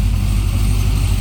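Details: Supercharged Corvette C6 V8 at first start after major work, once fuel was supplied; fuel pressure about 52–56. Steady deep idle with an even low rumble, no misses, knocks or surging. Normal idle.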